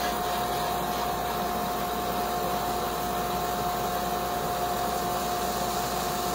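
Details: Sandblasting cabinet with gun, nozzle held about 8 to 10 inches from glass, parallel to surface: constant even hiss of air and grit with faint steady tone, no sputter or surging; blaster feeding properly, normal blasting.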